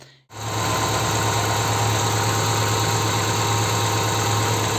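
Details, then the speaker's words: Dodge Neon cylinder misfire: shaking, uneven idle with a soft puffing sound at the exhaust. Cylinder number one has very low compression from leaking exhaust valves; engine lacks power and stalls at speed bumps. "tiembla el motor sonido del escape se escucha como un soplido son los síntomas comunes de fallo de cilindro en esta ocasión es porque el cilindro número uno le falta compresión"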